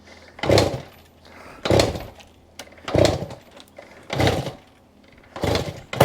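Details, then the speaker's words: 1967 Yamaha YCS1 two-stroke twin, kicked after new plugs and cleaned carbs: loud single pops about once a second, fires briefly but never runs; owner will check timing and thinks it may need a battery, unconfirmed. "We're not running yet, but we got some signs of life. I'm going to check the timing, but it is popping. It is burping and farting."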